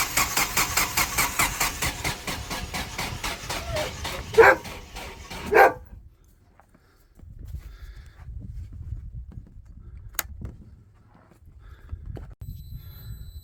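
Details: Generac standby generator at 5-10°F on scheduled exercise: starter chugs rhythmically for a long crank without firing, draining an old battery; no start caused by low fuel pressure from a stiffening fuel regulator diaphragm.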